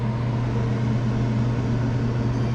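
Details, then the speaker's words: Daikin McQuay 2-pipe fan coil unit not cooling, after replacing the valve actuator and confirming the valve opens: steady even low hum with constant tone and no rattles; cooling restored, running smoothly. "that's a beautiful thing they're going to have cooling now"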